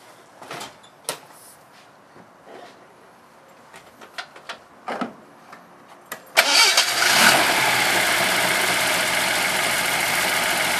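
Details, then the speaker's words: Jensen Healey with a prototype Megasquirt fuel injection and coil-pack ignition on a default, untuned map, first start. Scattered clicks, a short crank, and it fires at once without long cranking, settling into a smooth, steady idle. "one of the nice things you can see is unlike the traditional Jensen Healey startup there's no continuous cranking of the car trying to get everything going it's idling nicely"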